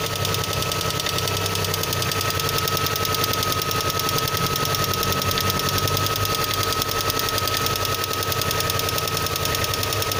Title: Стук в двигателе ваз 2112. Причины？